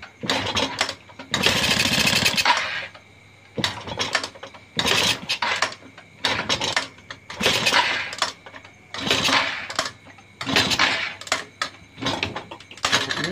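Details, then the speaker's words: Motorcycle being reassembled after burning, new coil fitted, fuel added, kickstarting: repeated rough rattling churns with short sputters that never catch to idle; owner suspects too little fuel. "mau hidup saudara-saudara, namun kemungkinan ini minyaknya kurang."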